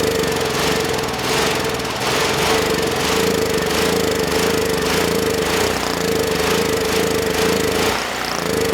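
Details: Generac GP6500E generator engine, previously seizing partway through rotation, after repair: steady, even single-cylinder drone under load, no knocking or surging; running well and making power.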